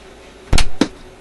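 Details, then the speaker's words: Grundig 2540 AM/FM/SW tube radio, after replacing the HV selenium rectifier with four silicon diodes in a bridge: two sharp heavy pops, like arcing or breakdown, once full mains voltage is applied, with B+ around 250 V against 240 expected. "Ooh, what was that pop? I didn't like that. What was that pop?"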